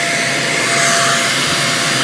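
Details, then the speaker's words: Greenote corded AC stick vacuum (18 kPa, HEPA, bagless) switched on and run briefly to show its sound: steady high whooshing motor tone at constant pitch, no rattle or surging; quiet, normal running. "Now what I'd like to do is just to run it for you quickly, just so you can hear how it sounds. It's not very loud at all, so we'll turn it on."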